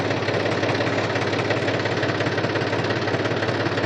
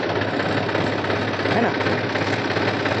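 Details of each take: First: New Holland Farmer 35 tractor, oil-immersed brakes formerly loud from bad oil, after refilling with Atlantis UTTO: steady engine rumble while braking in reverse, no squeal or grind; wet brakes working quietly. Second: New Holland Farmer 35 Champion tractor with oil-immersed brakes: loud, harsh continuous grinding rasp over the running engine when braking in reverse, mic mounted outside for clarity; brakes to be opened and oil checked.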